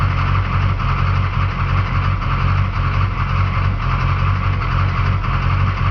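Low, uneven engine idle with a faint irregular stumble or dip every second or so. Cause suspected, not confirmed.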